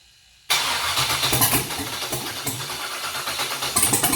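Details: Junkyard LS 5.3 V8 on an engine stand, first fire, catches abruptly into a rough, uneven, popping idle.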